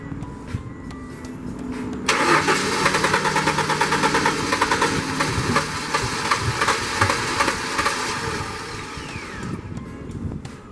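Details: 1994-98 Ford Mustang "Lil Boss" cranks steadily at about three turns a second but won't catch or fire, even with ether sprayed in; owner suspects a coil issue or lost current, since it previously started then died.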